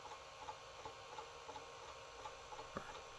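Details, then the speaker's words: 1984 woodgrain Panasonic PV-1331 VCR in slow-motion playback entered from pause: quiet, irregular ticking and knocking, roughly one or two a second, with a faint whir, like a jackhammer; normal slow-motion mechanism clatter. "sounds like a jackhammer at a construction site"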